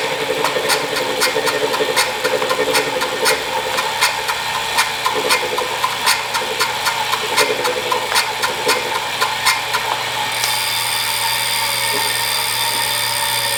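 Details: Wahoo Kickr Core bike trainer, about 2,500 miles of use, side view: loud rough whirring with rhythmic clicking about once a second as flywheel spins; sudden-onset bad bearing.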